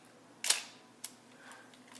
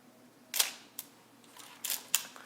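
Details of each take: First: Olympus OM-2n 35mm film SLR with the mode switch in the off position: separate crisp shutter clicks, each the same short snap, so the shutter speed does not change whatever is dialed. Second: Olympus OM-2n 35mm film SLR in manual mode at 1/250 s: two crisp, sharp snaps a few seconds apart, each a quick clean click with nothing dragging. Normal shutter operation.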